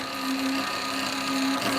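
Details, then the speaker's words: Saw cutting extruded aluminum stock to size for a vacuum fixture: steady high whirring with a hissy bite as the blade cuts quickly, cleanly and evenly. Normal cutting. "it's amazing how quickly this saw goes through half into aluminum"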